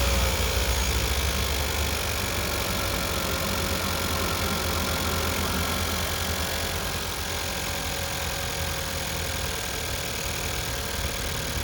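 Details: Second-gen Chevrolet Cruze, first start after GM Performance intake install: even, steady engine note with no knocks, rattles or squeals; engine sounds healthy and runs smoothly.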